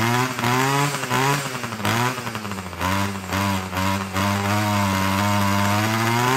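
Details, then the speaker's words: Homelite two-stroke weed eater, full choke after priming 6–7 times: starts, then two-stroke buzz surges and sags and dies on its own; sounds like it's running out of gas, low-end carburetor setting probably needs richening. "Let's try to start it. Well, that started. And then it died."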